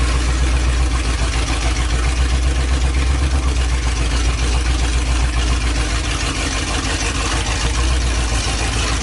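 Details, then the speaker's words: 1984 Ford Bronco, 351 Windsor 5.8L V8, first start after a month sitting, newly fitted Hedman long-tube headers with open exhaust, idling, not revved: very loud, deep, lumpy rumble with raw open-pipe bark; idles healthily. "okay just move to the Bronco for the first time in probably a month it's been kind of sitting in the backyard where I was getting some work done obviously the headers as well as some just miscellaneous maintenance stuff but uh super loud obviously I'm not going full throttle and revving it yet"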